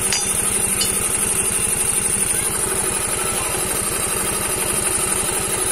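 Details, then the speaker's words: Yamaha Mio M3 125 scooter after cylinder block and piston replacement, damage caused by running out of oil, idling on a straight open exhaust; quick steady pulses with a thin rattly chatter and high tick from the CVT housing; CVT noise at idle. "ini ada suara-suara di bagian CVT itu aja suara seperti itu di bagian gitu ya"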